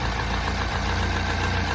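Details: R60 Mini Countryman Cooper S with engine light, running rough, revs hunting; uneven idle with thin high-pitched whine, first thought the tensioner but caused by a torn PCV diaphragm vacuum leak.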